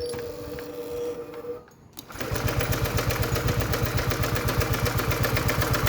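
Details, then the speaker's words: Honda PCX150i scooter that sat a long time, battery charged, after fitting a new spark plug with strong spark: starter spins evenly about four times a second but never catches, no fault codes; cranks but will not start. "ก็ยังไม่ติดนะครับเปลี่ยนหัวเทียนก็ยังไม่ติดครับน่าจะไม่เกี่ยวกับหัวเทียนนะครับ"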